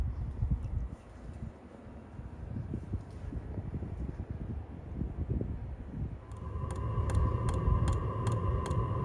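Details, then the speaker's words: Diesel air heater at startup, fuel already primed, exhaust not fitted: crisp ticking about twice a second over a rising fan hum; the fuel pump clicking normally as part of startup. "if you can hear that clicking that's part of the startup process and you can hear the fan spinning higher and higher"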